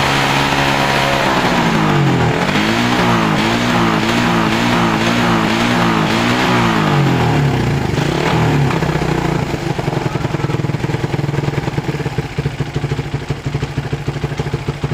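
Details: Suzuki Satria FU 150cc after repair: clean, even revs climbing and falling smoothly through throttle blips, no stutter; the earlier hesitation (brebet) on opening the throttle is cured, traced to a loose cable/socket connection that was clamped tight.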